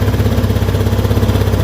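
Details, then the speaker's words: Honda Beat scooter that had stalled, started on the electric starter right after a carbon cleaner treatment: it fires immediately, the IACV opens then closes, and the high rpm drops back to a steady, even normal idle. "Oke, IACV bekerja tadi, terbuka terus sudah nutup, RPM sudah kembali normal. Tadi RPM tinggi, udah ya, aman loh."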